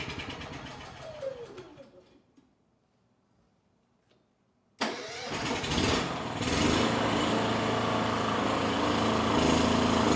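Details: Honda EU6500is generator, 15 to 20 years old, after draining water from the carburettor bowl, eco switch off: runs down and stalls, then restarts and surges unevenly, worse than before; fuel delivery suspected.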